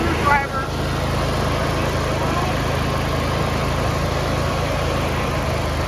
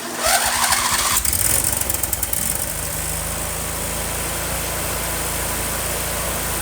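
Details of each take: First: John Deere D170 lawn tractor single-cylinder engine after carburetor replacement and throttle/governor linkage adjustment: low smooth idle with steady note, no surging or hunting; normal idle. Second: John Deere D170 lawn tractor after carburetor replacement and governor arm reconnection: brief crank then fast steady idle that stays high; idle too high until throttle adjusted with a flathead screwdriver.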